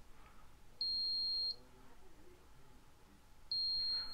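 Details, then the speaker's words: Emax NightHawk Pro 280 racing quad on a three-cell battery: piercing buzzer beeping in long beeps about every three seconds after the low-battery warning threshold was set to about 4 V per cell to trigger the alarm. "so you can just hear it repeating beeping over and over so then I set this back to 35 and it won't do that until I get to 35 next time"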